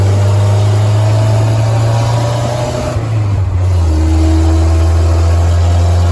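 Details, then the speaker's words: Willys CJ3B "Patches" with a newly installed F-head engine, steady idle: deep, loud, droning putt with boomy low rumble, sounds like a tractor because of the worn old muffler; replacement muffler and idle linkage adjustment planned. "got to say I hate the muffler Muffler's terrible [Music] okay it currently sounds like a tractor with that old uh muffler on it so I'm going to see if about getting a different Muffler"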